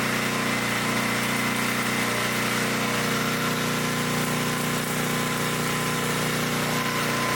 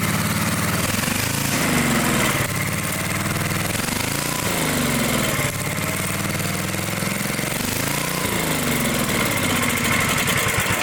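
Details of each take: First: 1972 Dayton 3,000 W electric-start generator, revived after 30 years unused, running after reassembly for an RPM check: a steady governed drone with a faint whine and no surging or misfire, running clean and even. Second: Dayton generator engine, unused 30 years: runs only on choke, surging up and down every couple of seconds, never settling; fuel-starved carburetor.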